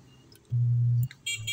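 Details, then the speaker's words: JMS amplified speaker, owner suspected a capacitor: steady low hum with no sound output; inside, a 56-ohm resistor appears burnt. "so try natin mapapansin niyo dito sa speaker niya Ugong lang"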